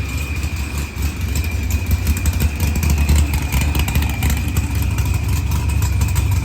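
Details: Dodge Challenger with supercharged LS swap and zoomie headers, after blown head gasket and fuel pressure sensor fixed, firmware V6 220, timing 27° (target 28°), idle leaned: deep steady lumpy V8 idle with constant supercharger whine; running cleanly.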